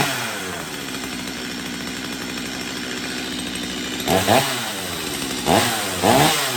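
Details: Stihl MS250 chainsaw after carb tuning, cold start on a cold morning: idles crisply and evenly, snaps up cleanly on throttle blips and drops straight back; runs normally (earlier complaint of no restart when warm).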